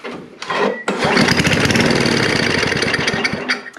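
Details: Snapper I 422 snowblower, carburetor dirty from suspected bad gas: after a pull it pops, catches on the primed fuel and runs raggedly for about three seconds before dying; spark and compression are fine, so the carburetor is at fault.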